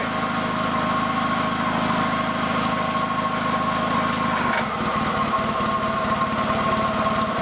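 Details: Honda two-cylinder liquid-cooled tractor engine newly swapped into the FF/18, first shakedown run on a temporary wiring harness. A steady, even twin thrum settles into a looser beat, with no knocks or misses. It passed the shakedown, so this is normal running.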